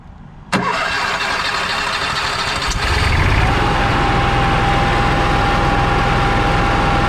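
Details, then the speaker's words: Onan QG 5500 generator in a 2022 Jayco Precept 31UL motorhome, primed and started to warm the oil before an oil change; starter cranks briefly, engine catches and settles into a steady even hum with constant whine; normal start and run. "Before we do the oil change, we're going to start up the generator for a few minutes to get the oil warm. First thing we do is prime it, then we start it up."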